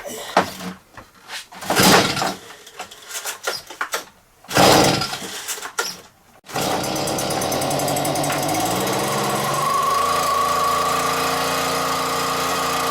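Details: Stihl BR86c leaf blower two-stroke engine after a rebuild with new crank bearings and a cleaned carburetor, following damage from incorrect fuel mix: some pulls and coughs, then catches into a steady high buzz rising slightly as it warms; normal running.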